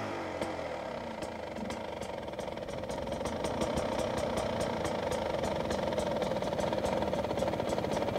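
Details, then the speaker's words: 2023 Beta 250 RR two-stroke after jetting change (new needle, air screw about 1.5 turns out): low, slightly lumpy idle just above stalling, even popping about three beats a second, then a couple of revs; healthy idle. "first off let's hear the idle low like almost stalling I bet if I give it a couple revs sounds good betas are crispy"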